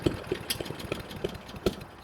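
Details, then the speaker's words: Honda 21-inch walk-behind self-propel mower that runs ~30 s then dies: runs nicely then irregular sharp pops and faltering; suspected cracked spark plug ceramic arcing when hot (coil also possible), plug to be replaced with NGK BPR5ES. "What can happen is the ceramic within the spark plug can crack, and as it heats up, it will arc off to the side, causing that similar situation."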